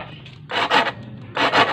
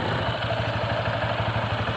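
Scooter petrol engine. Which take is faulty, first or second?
first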